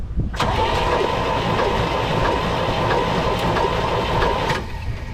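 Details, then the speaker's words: 1975 Chevy Nova engine, sat untouched 35 years, previously stuck: even starter whir with light rhythmic chuffs, no binding or clunks, cranking freely with plugs out and spitting debris; the engine is now unstuck. "Yep, so as we can see, we are spitting shit everywhere. So that means she is unstuck."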